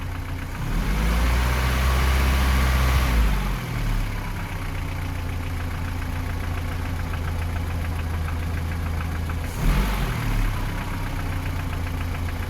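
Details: 3S-family engine in a VAZ 2121 (Lada 4x4), idle with a rev blip: light regular tapping about four per second near cylinders 3 and 4, by the camshafts or lower; valve clearances, gear and cam beds already checked; top-end knock, cause unknown.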